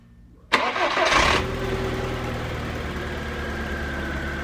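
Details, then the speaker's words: 2002 Skoda Octavia Tour 1.6 8-valve AEH petrol, 170,000 km: quick clean start settling into a smooth, even idle with no ticking or stumbling; engine runs evenly, normal idle. "Двигатель работает ровно."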